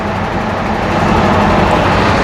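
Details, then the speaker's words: Webasto Thermo Pro 90 coolant heater newly fitted on a Demag AC220 crane, pump noisy and cavitating from trapped air until bled: steady, even hum, no gurgling or rattling; normal coolant pump running after bleeding. "And already, it's a lot less noisy. I'll just sit back there a second. You can't even hear that."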